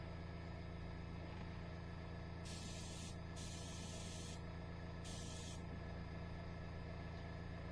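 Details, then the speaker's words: Iwata HP-CR airbrush spraying blue paint after cleaning dried paint from the needle and opening the needle further, long-unused: compressor hum with short spray-hiss bursts giving a light mist, then cutting out; paint not flowing, too thick. "got a very light mist of blue and then it stopped same problem what am I missing"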